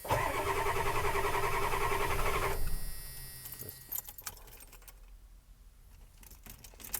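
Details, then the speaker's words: 1991 Ford Econoline 350 7.3 IDI diesel, about 90k miles, cold start in mild weather: cranks about two and a half seconds at a steady churn, then quits without catching; owner suspects fuel pressure lost since the last run. "So it tends to do that. I believe the fuel pressurizes from the last start and run, and it kind of gobbles that fuel up, and it'll take a while for it to repressurize."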